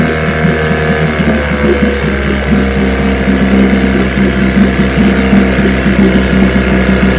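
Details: Vintage outboard two-stroke (restored, then repaired) started Wednesday morning with fuel on, full throttle and no prime, firing on the fifth pull: steady even buzz with no misses or surging; it ran five minutes, showing adequate compression.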